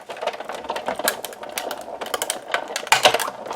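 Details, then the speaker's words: Manual crank die-cut machine rolling plates with a die through: irregular dry creaks and crackles from the platform, normal for this machine. "noise like the little creaking that sounds like it's breaking something is very normal it's the platform and that's what we are used to hearing"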